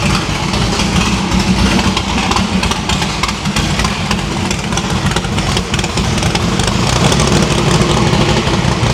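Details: No-prep drag-racing stick-shift V8 after new PAC valve spring install: previously run on four plugs, now all eight plug wires on, headers still cold on one side. Steady, even rumble, no stumble through idle and light revs. Valve springs seem okay; distributor index/rotor button fix expected to cure the misfire.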